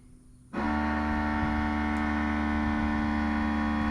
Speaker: So you can set quick settings on here, and then as you see, it's going to run. It'll be a little noisy, and you can do this from inside the truck or outside the truck.